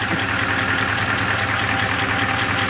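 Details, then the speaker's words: 1985 Chevy Suburban K20, warmed up with idle slightly lower: sharp, even tick about five or six times a second over steady idle; owner hopes it's not internal and thinks it may be exhaust, source unconfirmed. "there we go now it's warmed up I only a bit lower definitely hear a wicked ticking though"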